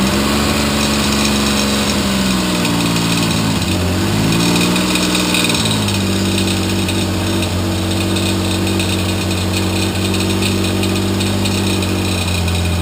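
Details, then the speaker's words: T160 two-stroke twin on first run after 37 years, timing cover previously repaired for a hole and camshaft replaced: uneven idle, brief rev then settling, with an odd mechanical noise from the timing cover whose source is unknown. "What would be in the timing cover that would make that noise?"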